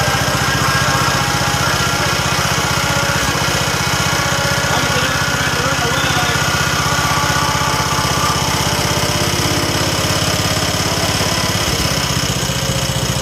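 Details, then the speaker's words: 1969 John Deere 140 H1 on a new carburetor, running after a cold start and long cranking: a small single-cylinder steady even chug with no stumbles, running quiet and smooth. Normal running. "but it does run now the next video you see the video clip will be it's running and it runs well runs quiet and smooth"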